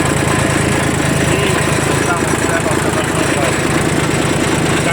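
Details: Kubota L1802 Japanese 18 hp 4WD diesel mini tractor fitted with a 1.5 m rotary tiller: even diesel clatter at idle, about three beats a second, with no misses or knocks. Idles normally.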